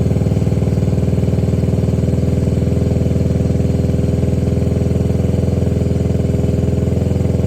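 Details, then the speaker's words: 2021 Can-Am DS90 carbureted ATV after carburetor idle-screw adjustment: an even single-cylinder putter at about three and a half pulses a second with no misses; a normal, properly set idle. "that's where we know we're idle set Kind of Perfect on our throttle so we'll start it up see if it'll kick up"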